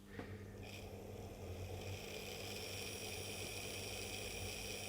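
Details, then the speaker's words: Accurascale Class 30/31 model locomotive on test: roof fan spins far too fast, supposedly scale speed but sounding like a helicopter, a steady high whir with fluttering low throb; fan motor overspeed whir. "that can't be scale speed it's like honest you can hear it sounds like a helicopter"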